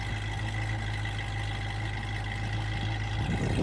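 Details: 1966 Ford Mustang, 289ci V8 T-code with true dual exhaust, recorded from behind the car: deep, even V8 burble at idle, steady pulse with no misses or knocks, slight rise near the end; smooth healthy idle.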